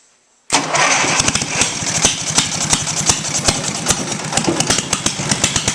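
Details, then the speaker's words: 18 HP Briggs & Stratton opposed twin off a Craftsman mower, electronic ignition, cast iron, rigged for first startup on choke before Terra Jet install; fires after two cranks, steady even beat, crisp exhaust; normal start and run. "run now to me that's music to my ears an engine you crank it twice and it starts and runs"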